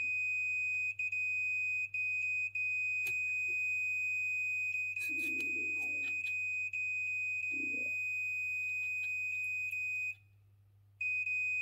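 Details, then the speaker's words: Chaffoteaux & Maury Nexia boiler control board under test: steady high-pitched electronic tone with brief dropouts and a pause as a jumper is wiggled; suspected intermittent contact (faux contact) on the board, not confirmed. "Putain, celui-là, il a des faux contacts."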